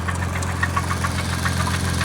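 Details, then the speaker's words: Turbo Chrysler LeBaron idling and lightly revved: steady hum with squealing and quick uneven metallic rattle, metal on metal; failed bottom-end bearings, suspected rod knock, engine done. "No, no, no. I know that noise. You hear that squealing and then the rattling? Yeah, that squealing is metal on metal. That's what it is."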